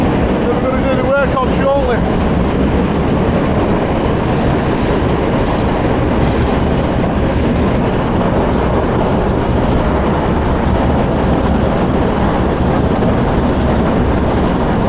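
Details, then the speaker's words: Powerscreen PT 330 jaw crusher that won't run right: heavy, uneven pounding and rumbling with brief metallic squeals, jaws noticeably noisy; cause unconfirmed. "hear how noisy the Jaws are yeah also needs a new skirt thank you"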